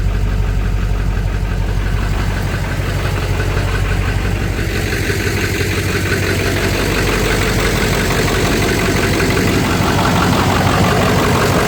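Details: Ford F350 7.3 diesel idling after fresh oil change (Amsoil 15W-40) and new fuel filter: steady, even injector clatter with a low drone, healthy and settled; noticeably quieter than before the change.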